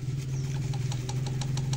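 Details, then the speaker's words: Bajaj Pulsar 125 front disc brake assembly: light metallic ticks about six a second over steady engine hum, loud when riding and when the caliper is shaken by hand; caliper rattle. "जब मैं ऐसे हिलाती हूं तो यह आवाज आने लगता है और जब यह बाइक इन रनिंग कंडीशन में रनिंग में यहां पर इतना आवाज होता है टेक जोर से आवाज होता है"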